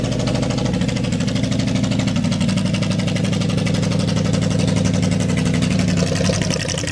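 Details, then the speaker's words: Dodge Power Wagon 200 Dude (believed 1972), 4WD four-speed V8 plow truck parked 40 years, points serviced, first run: smooth, steady idle with a low even rumble and constant light ticking; running healthy. "Boom it went she ran listen to that baby fur got a nice Rumble yeah it does keep her [Music] going"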